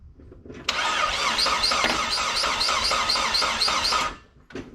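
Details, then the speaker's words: 2002 Saab 9-3 convertible, compression test over oil light at extreme heat: about three seconds of cranking, even beats, no weak cylinder; readings 125–140, around 130–135 average, owner considers it a decent sign. "so everything's around 130 ish 130 to 135 is what the engine is registering on average"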